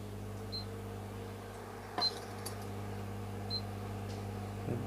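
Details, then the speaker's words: Bajaj Majesty ICX18 induction cooker powered via series board: short high beeps about every 1.5 s over low mains hum, no heating, pan not sensed; cause an open coil feedback resistor. "देखिए friends, metal sense नहीं कर रही है, only beep beep sound आ रही है।"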